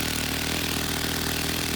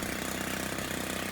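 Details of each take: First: Stihl FS90 trimmer running while the idle speed screw is turned counterclockwise, easing throttle cable tension; steady, even low two-stroke buzz with no hunting. Idle speed lowered by the idle screw. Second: Stihl FS90 trimmer at idle after the idle speed screw was backed off until the trimmer head stopped spinning; light, even two-stroke burble with no whir from the head. Normal idle.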